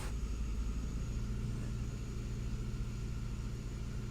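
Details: 2005 Vauxhall Astra G 1.6 Twin Port (X16XEP) with multiple fault codes, low power and a lumpy idle; fans run continuously and the sensors read lean: low, uneven idle rumble with unsteady pulses.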